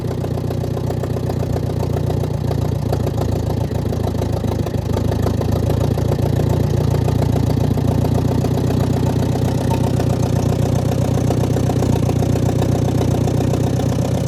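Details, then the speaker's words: Ford Jubilee half-track tractor, sat five years, after carburettor adjuster work, exhaust open straight off the manifold and carburettor leaking: steady, loud, even idle with a deep rumble and no misses or knocks. Normal idle. "And it doesn't sound half bad."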